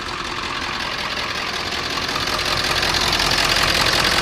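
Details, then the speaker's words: Ford 7.3L diesel, cold start, increasingly long cranking, smoke and injector-pressure code; owner suspects HPOP: loud clattery hiss with uneven beat about three times a second at idle. Rough idle, cause unconfirmed. "Yeah. It's got an injector pressure issue."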